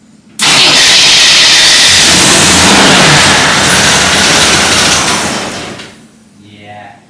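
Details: Full-size Jeep carbureted engine, first start attempt with choke and fuel poured in, after flywheel replacement: harsh steady cranking about five seconds that never catches; fuel starvation from stuck carburetor needle and seat, starter solenoid also failed.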